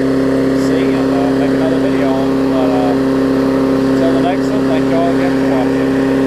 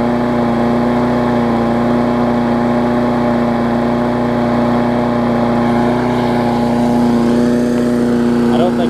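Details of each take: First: Craftsman 22-inch big-wheel push mower, 2008, Briggs classic engine, after salvaging the safety cable and adjusting the carb linkage spring: constant steady drone at governed speed, no surging or hunting; running right. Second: Craftsman 22-inch big wheel push mower, Briggs classic engine, 2008, after safety cable fix and carb linkage adjustment (spring previously messed up): steady high-pitched even drone, no hunting, running a little fast; owner thinks the spring is just warm.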